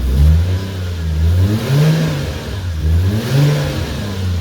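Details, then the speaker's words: Toyota Mark 2 1JZ turbo six restarted after a compression test that read lower numbers: smooth repeated rev blips climbing and falling cleanly with even firing, no knocks or misses; revs well, hits boost cut easily, sounds healthy. "it's a very healthy sounding engine it revs nice and makes plenty of power it's boost cut with ease"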